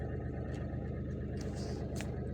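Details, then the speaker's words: Mahindra TUV300 diesel heard from inside the cabin after repair: smooth, even hum with no knocking or rattling, now silent after fixing a small pipe near the driver side that was hitting the plastic engine cover and causing an unusual loose-sounding noise. "सो ये एक छोटी सी pipe engine के जो ऊपर plastic लगा हुआ था उसकी तरफ टकरा रही थी सो उससे तो देख लो गाइ बिल्कुल साइलेंट हो ग"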